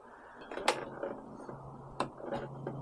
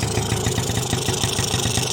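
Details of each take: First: 1986 Yamaha Razz two-stroke scooter, after repairing a carburetor float valve that overfilled and gushed fuel (ethanol blamed), plastics refitted: a few clicks, then it fires first try and settles into a quick, steady buzz, smoky but leak-free. Normal start. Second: 1986 Yamaha Razz two-stroke scooter before repair, started with one kick: a rapid, uneven, rich burble with a hissy top end while fuel dumps straight out of the carburetor. The float valve is overfilling the bowl (ethanol blamed), so the carburetor floods.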